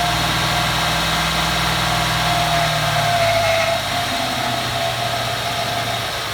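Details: 2014 Ford F-150 4x4, hood open, phone set down, revving in place: thin steady high squeal, fading as revs drop, like nails on a chalkboard; first only when cold, now constant; undiagnosed.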